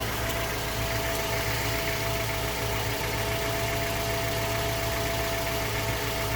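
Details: Mazda 3 BL 2.0 MZR DISI after cold start: sharp, even metallic knock over injector ticking at idle; owner suspects piston slap or rod bearing, unconfirmed.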